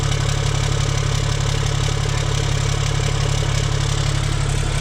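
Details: Kenworth C500 diesel after cleaning metal shavings from the housing following a turbo ingestion; steady idle with deep regular beat about two and a half pulses per second, no knocks or rattles, sounds normal.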